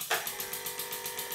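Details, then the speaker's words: Bambi BB50D air compressor supplying steam engines, tank drawn from 8 down to 6 bar: quiet motor start then steady fast chuffing about seven beats a second over a soft hum, normal compressor cut-in. "that noise is the sound that the compressor makes when the compressors both switch back on again"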